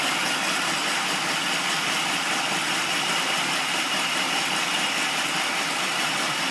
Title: 1999 Integra Rough Idle 2